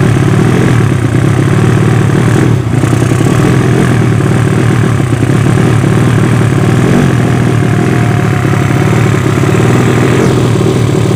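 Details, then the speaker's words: Yamaha Vega ZR with swapped Mio cylinder, 200cc, 66mm piston, standard stroke, Tiger cam, open exhaust, test run after long storage: loud steady running with slightly uneven, hollow popping beat; carburettor not yet set, running quite lean. "Hai di karburator belum sesuai agak sedikit tekor bukan sedikit for lagi ya tapi banyak tepatnya"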